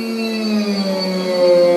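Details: Hyper-Drive brushless motor at about 569 RPM maximum, braked by hand on the drum: steady tonal whine with overtones that sags slightly in pitch; the controller's pole-count setting is mismatched.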